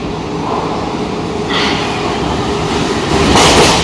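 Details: Metro train passing through Luka station during rail replacement in October 2020. A heavy rushing rumble with sharp wheel bangs as the wheels cross a temporarily oversized rail joint gap.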